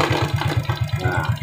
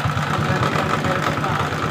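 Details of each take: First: Suzuki Shogun 125 idling with battery fitted: steady low thumping, no misses or rattles; smooth normal idle (rough without battery due to weak regulator/rectifier). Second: Suzuki Shogun 125 with battery removed, weak charging: single-cylinder idle with uneven lumpy wavering beat; rough running because weak regulator/rectifier (kiprok) supplies too little voltage to the CDI; smooth with battery fitted.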